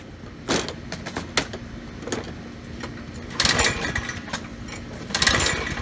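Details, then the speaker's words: Troy-Bilt self-propelled push mower, Briggs and Stratton 675 series 190cc engine, clean fuel tank: several rasping recoil pulls, brief whirr with no firing; no start, checking spark, plug found barely attached. "so really nothing there at all so let's first thing let's check for spark"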